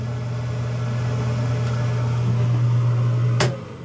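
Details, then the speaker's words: Newly installed bathroom vent fan/light: steady soft low hum, quieter than before with a slow gentle spin-up, no rattle, then a click off; normal bathroom exhaust fan. "Let me turn the fan on, and I don't know if you can tell the difference, but it is much quieter. You can still hear it, but it's a slower takeoff, so it's not a jolt when you first turn it on, and it seems to be quiet enough."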